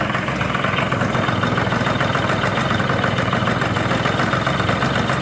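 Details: Chinese Yamaha-type scooter after the variator cover that was not seating, causing a strange noise, was filed to fit and refitted: even, steady idle with a smooth fast beat and no knocking or rattling; the noise is gone.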